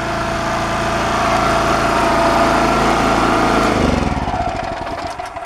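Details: Champion single-cylinder generator after a new carburetor and with the air filter assembly refitted: runs even and steady at a fast regular beat, then winds down smoothly, much quieter than before; a healthy run.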